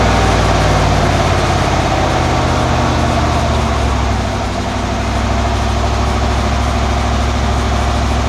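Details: 1991 Cadillac Brougham with a new cat-back exhaust: new resonator and Walker Quiet-Flow SS stainless muffler, fitted to cure drone near 59 mph. Held off idle it gives a steady low rumble with no pulsing beat; about 68 dB at idle.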